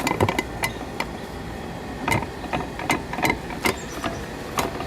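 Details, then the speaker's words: 1976 Mercury 1150 outboard lower unit after a water pump replacement, driveshaft turned by hand with no up-down play. Irregular sharp gear clicks sound over an air conditioner's hum: clicking gear noise in the lower unit, cause unknown. "very gear kick clicky, I guess you want to call it."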